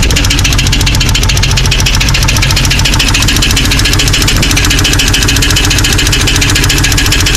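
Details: Jeep 4.0 petrol engine idling with a loud, sharp, rapid valvetrain ticking from the top of the engine, louder at higher rpm, persisting after all lifters and pushrods were replaced; rockers and pushrods all moving.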